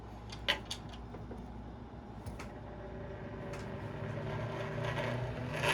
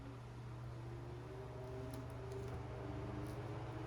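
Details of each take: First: Westinghouse A010-1 desk fan, roadside find, cleaned and fitted with a replacement power cord: a few clicks on startup, then a rising whir with an uneven rattle about three times a second; vibration and rough running, cause unresolved. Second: Old Westinghouse A010-1 desk fan rescued from the roadside, cleaned and fitted with a replacement cord, test-run at full power with the blade loosely fitted; steady low motor hum and soft airy rush, no rattle or scrape, good air volume, runs normally.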